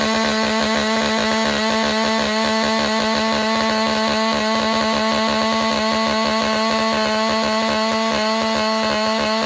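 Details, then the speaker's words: Husqvarna 572 autotune chainsaw after its air filter was clogged, manual reset: steady high-pitched scream through a long full-throttle cut, changing at the very end back into peak torque; auto-tune recalibration. "I heard a change did you guys you guys hear it change right at the very end right at the very end you can hear it get back into the peak torque of the motor"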